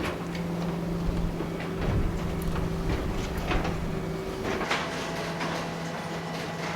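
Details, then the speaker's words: 1970 Chevy C10, parked ten years and revived, idling: deep raw unmuffled rumble; very loud because no exhaust system is fitted. "it needs an exhaust because she is loud and i mean loud i guarantee you the neighbors hate me"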